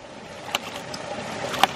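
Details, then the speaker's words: 1-inch ram pump after winter restart, delivery pipe uphill filling: crisp, solid snaps about a second apart over quiet water noise; waste valve cycling cleanly and a solid snap in the drive pipe, pump operating correctly. "when the pump is operating correctly you can hear a nice solid snap"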